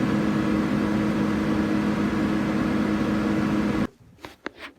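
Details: Old Dodge blower motor after 3-in-1 oil fix, switched on and off: strong even fan rush, steady low hum, no rubbing or squeal, cuts off cleanly; normal blower operation.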